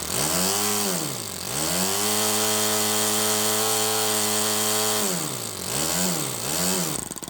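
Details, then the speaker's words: Miniature kit-built Toyan FS-S100AC four-stroke model engine, first run after assembly: small engine idling evenly around 1000 rpm between quick throttle blips, smooth with no misfires or rattles; normal idle. "okay so it looks like it ran and it ran really smooth it was idling at like i don't know a thousand rpm"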